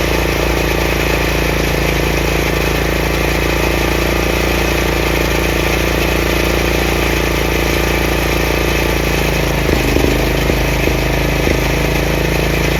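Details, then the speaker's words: Craftsman 30-inch rear engine rider mower, after the throttle lever and PTO repairs: a steady, even drone with the blades turning quietly and no knocks or grinding. Normal running. "It's not like a regular lawnmower or lawn tractor that you can noticeably hear it go. This one goes. You can barely feel like the blades are on, but they are on."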